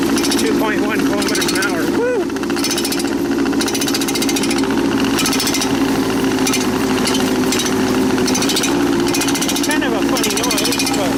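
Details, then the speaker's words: Tracked machine travelling in high gear; steady diesel drone with loud metallic bangs about once a second; owner suspects the track's inner metal guides hitting the wheels or tracks too tight; unconfirmed. "But it sort of sounds the same. Bang bang. I think maybe the tracks are a bit too tight."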